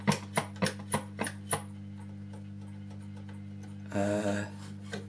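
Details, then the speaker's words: Defiant MSH 450 valve radio at full volume, dial bulb dimmed: sharp control clicks, then a steady low hum with no station on short or medium wave. Mains hum; failed capacitors suspected, not confirmed. "we're still humming we've got the volume on full at the moment"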